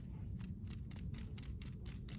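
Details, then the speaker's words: Hand-spun used pulley bearing: a loose, rattly tick about three times a second as it rolls, worn and sloppy with excess play, versus good new ones. "not as bad as some others right obviously but it's got a there's a looseness to it that you can hear when you roll it"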